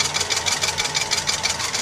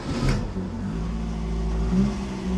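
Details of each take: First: Mk1 Ford Fiesta at idle with an emergency cable-tie fan belt: quick light clacking about five times a second as the belt's heavy end strikes the water pump housing, while the water pump and alternator still spin. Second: Classic Mk1 Ford Fiesta running on a makeshift fan belt of strong cord tied with a knot: quiet, steady idle with a low even hum and no squeal, water pump and alternator turning well, slight fraying at edges; normal idle.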